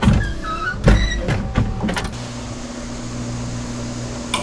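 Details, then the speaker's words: 1968 Pontiac LeMans wiper motor after removing the added relay connection and refitting the wiper fuse alone: switch clicks, steady low whir, no binding; wipers work and park. Owner thinks the fuse was the issue. "Turn the windshield wiper on. Turns on. Turns off. That was my issue. I think it was the uh fuse."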